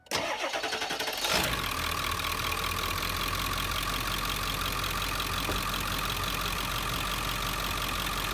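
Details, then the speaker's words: 2001 Ford F-350 after fitting a new, tighter serpentine belt (tensioner pulley replaced 11 months earlier): cranks, catches, settles to steady even idle with no squeak or chirp; owner had suspected a bearing, old belt was the squeal. "All right, let's try it. It'd be wild if it was just the belt. I've been thinking it's been a bearing this whole time."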